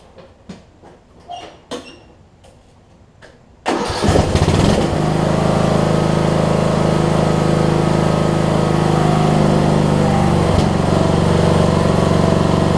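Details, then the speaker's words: Craftsman DLT3000 riding mower with Briggs engine, after camshaft and compression release replacement, sits days with no leaks or smoke; brief clicks then it catches into a steady, even single-cylinder beat with no misses or knocks; normal running. "so let me crank it up and i'll show you that it runs and all that good stuff"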